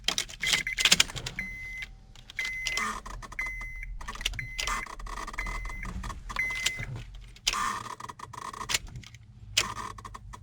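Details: 2003–2007 Honda Accord that won't start: turning the key gives short electrical buzzes and clicks from the ignition switch but no cranking; faulty ignition switch electrical actuator (steering switch 35130-SAA-J51), a common failure.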